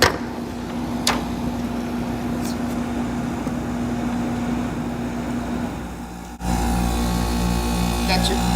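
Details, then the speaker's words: 1986 Friedrich Quietmaster 19,000 BTU window AC, heard again from indoors while changing compressor speeds. Steady low hum with fan rush, then a clean step up in pitch and loudness; normal speed change. "i'm going to show you what the compressor sounds like in between speeds i did it on the outside but we're going to do it again"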